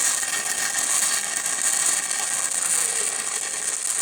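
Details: 6-inch Schedule 80 pipe, 6010 root pass, rod pushed toward the back: steady, crisp crackling growl heard inside the pipe, meaning the root is penetrating through the bevel properly.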